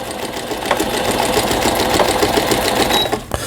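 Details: Brother 847 computer sewing machine, made in Japan, 220V, after repair; steady quick needle chatter about three strokes a second, even through decorative pattern 43; some machine wobble to be adjusted; stitching normally.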